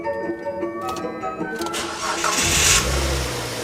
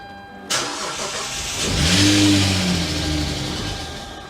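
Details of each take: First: Insurance-auction wrecked car repaired at home, after refilling empty radiator coolant: starter cranks briefly, engine catches and settles into even idle without knocking, much smoother than before repairs. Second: Wrecked car rebuilt at home after a new belt and belt tensioner were fitted: it takes a couple of tries, then settles into a coarse, tractor-like drone at idle. The rough running is because there is almost no oil in the engine.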